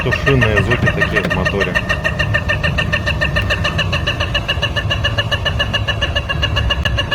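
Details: Engine knock: a quick, chirpy, rooster-like rhythmic tapping about three per second over a rough drone. The cause is not yet clear.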